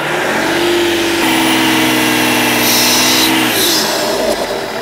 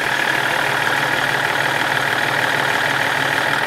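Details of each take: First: BMW 330d restarted after head gasket job, warming up: engine held at steady revs, then a sharp loud turbo whistle rises and cuts off as pressure releases; no visible leak, boost pipe suspected. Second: BMW 330d restarted after head gasket work: loud, steady diesel clatter with an even beat and no knocks or misses. Idles well.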